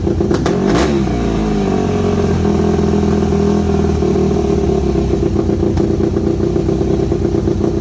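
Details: Yamaha WR250 single-cylinder with good compression, just revived after sitting: thump after a throttle blip, then lumpy, uneven idle with wavering beat; carb needs rebuilding, owner unsure idle jet is fully unblocked, irregular idle.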